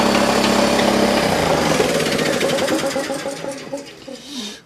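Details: DeWalt D55146 oil-free air compressor that won't build pressure, run partly disassembled: loud, harsh, fast rattling knock, three to four a second, dying away as the pump runs down; piston and cylinder look badly worn, bearings suspected.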